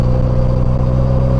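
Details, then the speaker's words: Polaris Slingshot in fourth gear at about 35 mph: steady, strained drone with a firm low hum and no dips; engine wound up high, needing an upshift into fifth. "Now, it sounds like I need to shift right now into fifth."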